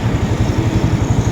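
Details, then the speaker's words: Yamaha R15 (old model) stumbling and running rich after a previous owner fitted an aftermarket injector; the stock injector is refitted with the stock pipe: crisp, even firing, revs rise quickly with no stumble, now normal. "อันเนี้คือปกตินี่คือปกติก็คือหายเป็นปกติก็คือเดิมๆ"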